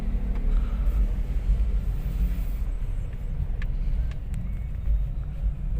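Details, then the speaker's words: Toyota Wigo on a road test over bumps after replacing two stabilizer bar bushings. It had a suspension clunk (lagutok) that persisted after an earlier shop replaced the stabilizer link and shock mounting. Now only a steady low road rumble, no knocks or clunks; the noise is gone. "Okay wala na sir may naririnig ka ba sir Wala na Wala okay na okay na"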